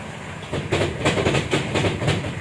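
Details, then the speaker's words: 2013 Mitsubishi Strada Triton GLX, 4M40 2.8L, in 4H first gear with one rear wheel lifted, going straight under light braking: rhythmic heavy knocks about four a second from underneath. The transfer case chain or sprockets are damaged. "Jadi, ketika rem ditekan dalam posisi lurus, akan terdengar suara ketukan; Kerusakan utama terjadi pada rantai atau pada roda"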